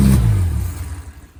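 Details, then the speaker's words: Innocenti 1275 A-series Mini engine, unrun for nearly 20 years, bench-started with exhaust and inlet manifolds and carb fitted and fuel poured in; a short throttle blip with a low rumble that quickly dies away; engine runs, oil pressure confirmed. "And that, ladies and gentlemen, is how you bench start an A-series engine. Wow, the engine actually ran, and it ran for a bit of time as well."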